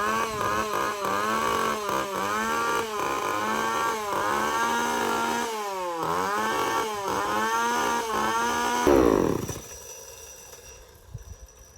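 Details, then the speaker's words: Echo CS-3450 chainsaw after fitting a replacement carburettor and primer bulb and tuning the mixture: sharp, even revs on each throttle blip drop back to a steady idle before shutdown; it runs cleanly. "I think she sounded pretty good. Finally. There's nothing like a good little two-stroke."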